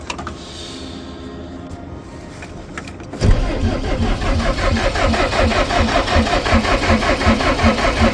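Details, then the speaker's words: DAF LF45 bus diesel at about -6°C: after a quiet spell the starter cranks with an even beat near three pulses a second but never catches; the owner blames the minus temperatures. "Doesn't want to go in minus temperatures. Really struggling. That's a first."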